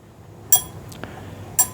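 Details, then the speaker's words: Briggs and Stratton 17.5 hp engine, new compression release (cam release) lever: two crisp metallic pings as it snaps shut quickly; normal strong spring, unlike the worn lever that won't stay closed and prevents starting. "You see how quick that closes. All right. You see right there? You hear the difference in the sound. So, this one closes very quick."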